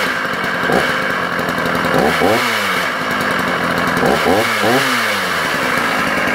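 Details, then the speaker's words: Sachs Dolmar 133 vintage 85cc German two-stroke chainsaw restarted: quick revs up and down with rough gravelly undertone, noisier than it should be; cause not confirmed, listed for parts only. "like I say bear in mind the engine is now noisy incredibly disappointing to say the engine is no noisy guys"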